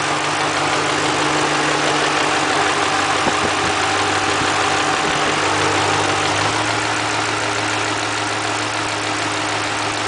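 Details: 2005 Mustang GT V8 steady idle with a soft clunk roughly three times a second; identified as normal cam phaser noise, nothing wrong with it.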